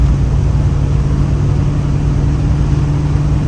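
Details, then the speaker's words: 1965 Plymouth Fury III, 318 Poly V8, 727 3-speed automatic, after timing set and vacuum advance hooked up; deep even drone pulling hard under load, no pinging; better acceleration, no detonation, timing safe. "Yeah, it's definitely better acceleration."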